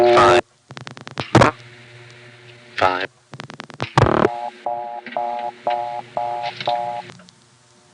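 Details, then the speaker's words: Number one step office, 1970s–80: a few relay clicks, then a thin, hollow mid-pitch tone pulsing in short even bursts; washed-out reorder on a vacant or blocked selector level, from the 11th bank terminal. "Another thing you hear in number one step land is the washed out reorder which occurs on vacant levels and blocked levels."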